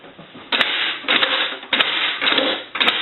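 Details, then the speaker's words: Bell rotary payphone, reassembled after repair and conversion, key given a good quarter turn: four crisp mechanical clacks about half a second apart as the linkage sweeps through, letting the key lock and come out; normal lock operation. "So you want to make sure that you hear the linkage sweep. So you want to get that good quarter turn."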